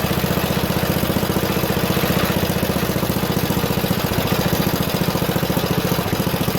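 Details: Junkyard Ditch Witch C99 trencher, old, year unknown, small single-cylinder engine: steady, slightly uneven thump about three or four beats a second; running halfway decently, though the self-propelled drive doesn't work.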